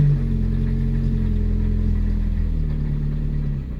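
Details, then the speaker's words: 1974 Honda Civic mk1 petrol engine idling on choke after spark plug replacement and a fuel pump now building pressure; steady, even low hum with no misses or knocks, running much smoother than before: normal smooth idle. "it's running a lot smoother than the last time you heard it sounds really good"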